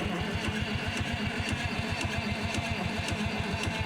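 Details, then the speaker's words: Euclid S7 scraper with 12 V starter and unit injectors, after sitting, cranked to pump fuel up to the injector rack; steady starter cranking about four pulses a second, turning evenly but never catching, cranks with no start. "Crank it until we see some fuel down there on that line, hopefully."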